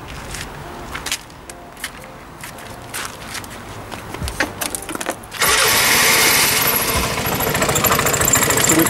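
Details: Piaggio X Evo 125 scooter at idle: a harsh metallic rattle from the transmission side; a broken clutch spring was first suspected, but teardown found a loose central clutch nut.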